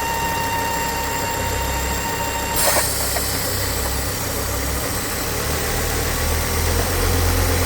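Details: Ford S-Max 2.5T (Volvo engine) at idle: steady high whistle-like whine that cuts out abruptly, with strong crankcase negative pressure, from a ruptured PCV diaphragm in the oil filter housing; fixed with a new housing or Volvo diaphragm 8642424.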